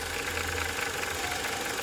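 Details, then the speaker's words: VW/Skoda/Audi 1.8/2.0 TSI at idle: fast, light ticking over a steady idle, easily mistaken for camshaft noise, felt at the oil cap; oil pressure regulating valve failed in high-pressure mode, no MIL light; valve replaceable under the pulley. "But that is a classic symptom, and this thing can be mistaken with a camshaft noise."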